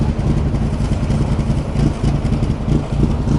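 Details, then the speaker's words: Engine idling after a camshaft/exhaust-intake swap: deep, uneven loping idle about three to four beats a second that stumbles, won't idle coming off power but holds the lumpy idle with feathered throttle. "and certainly does have a certain amount of lump to the idle. Doesn't want to idle as you come off power, but if you keep feathering the throttle, she'll hold that very lumpy idle."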